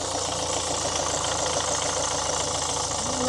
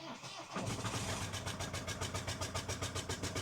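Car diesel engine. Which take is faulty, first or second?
second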